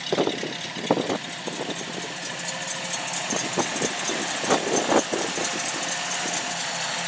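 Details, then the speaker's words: 1930 Ford Coupe, freshly painted and reassembled, idling just after firing right up: steady, even, quiet idle with a light mechanical tick and some outdoor noise; engine sounds healthy, normal idle. "Man, you don't get any better than that. The thing just fires right up. Nice and quiet."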